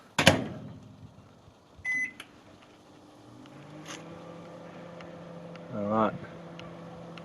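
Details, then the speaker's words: Sharp R-350E inverter microwave after repair: door clunk and start beep, then an even low hum with no buzz or crackle; earlier buzzing was caused by the PSR on the incoming 240 V circuit, now running normally. "pretty good so far no buzzing gosh that was really woring mwo microwave oven"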